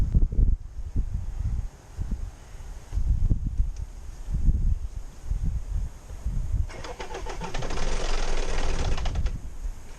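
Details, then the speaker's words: Salvaged non-running 2017 Land Rover Discovery Sport diesel, after replacing its dead battery: uneven, labored cranking with irregular low thumps and a brief higher buzz, never catches; cranks but fails to start. "That doesn't sound good at all. Try again."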